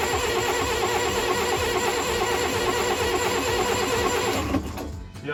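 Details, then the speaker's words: Perkins 40 hp saltwater-cooled marine diesel that has not run for a couple of years, cranked while holding the glow plug. Steady cranking at about three turns a second never catches: cranks but won't start. The diesel being too old is suspected. "um it just might be that that that Diesel's too old"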